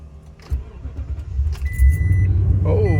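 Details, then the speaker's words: 2018 Toyota Tundra 5.7 L flex-fuel, cold start in the 30s °F after refilling with 87 ethanol-free gas to fix long-crank problem; brief crank then catches at once to steady idle, normal quick start. "cranked right up I think I found a solution"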